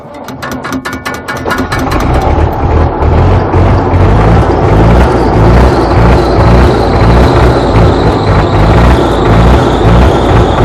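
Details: Belarus tractor diesel unused for a month in low temperatures, weak battery, glow plugs preheated about 15 seconds; slow labored cranking about two seconds, then it stumbles and catches into a rough steady run.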